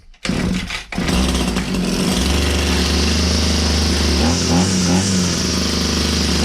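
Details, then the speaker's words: Old Husqvarna 22R strimmer scrap find, choked and pull-started: a couple of coughs, then catches and settles into a steady, even buzzing run; fully runs. "So it now fully runs."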